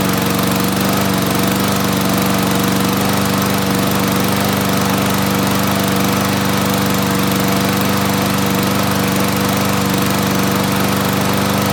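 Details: Toro mower with 6.5 hp Tecumseh engine after carburetor cleaning for a no-start after winter storage: steady even drone at constant speed, no surging or sputtering; running smoothly.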